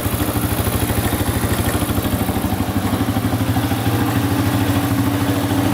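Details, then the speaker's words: 2005 Honda CRF150F single-cylinder bike warming up: even, steady idle with regular firing pulses and no knocks or rattles; healthy warm-up idle. "right that should be warm enough let's see here that sounds pretty good"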